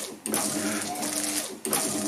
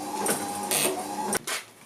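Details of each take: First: Classic Gilbern with a retrofitted Ford Focus Mk2 wiper system, wipers now parking correctly; even motor whirr, sweep about every 1.4 s, running fast on battery-charger voltage, then parks and goes quiet; normal wiper operation. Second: Gilbern classic car with a retrofitted Ford Focus Mk2 wiper motor and a relay park circuit: buzzing motor whirs, pauses briefly, then carries on. The park signal interrupts only about 200 ms, so the wiper fails to park; the fix planned is repositioning the cam.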